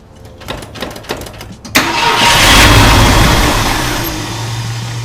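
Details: 1966 Ford Thunderbird, stored since 1988, after replacing three bent pushrods plus plugs, wires, cap, rotor, fuel pump and hoses. Several slow cranks, then the V8 catches, flares and settles to a smooth idle; normal start and idle.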